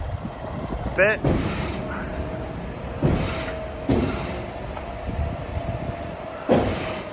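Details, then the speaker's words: Tractor towing a Horsch drill on the road, heading under a railway bridge. Irregular heavy clunks every second or two sound over the road noise: the drawbar is banging around in the hitch. "loads of room you can hear the drawbar though banging around a little bit that's why we're going to change it to either the ball and spoon all the other hitch"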